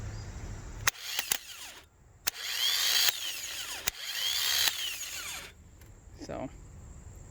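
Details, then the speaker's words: Replacement starter for 1998 Lexus LX470 tested on the bench, spinning free for a couple of seconds at a time; short bursts of high even electric whir with clicks between; owner unsure if it sounds right; old one only clicked. "it doesn't sound great though the motor but it only but it's hard to tell because i don't know what this motor really sounds like because it only runs for a couple of seconds"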